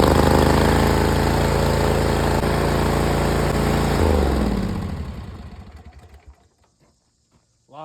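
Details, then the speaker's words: Ferris IS 2000 Z zero-turn mower running after an oil and filter change with no muffler fitted; loud, raw, rapid exhaust bark at a fast steady beat that dies away at shutdown. "hoopty, ain't it? Jeez. I tried to tell them they needed a muffler, but they wanted a lot for a muffler, so we said, Let's see."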